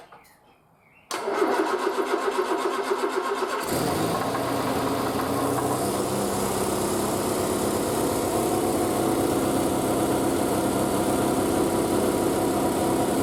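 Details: Triumph Spitfire after a single-carb conversion, cold and unstarted for a couple of weeks, started on choke with the exhaust wrap steaming. A quick crank catches cleanly and settles into a steady, even idle; a healthy cold start.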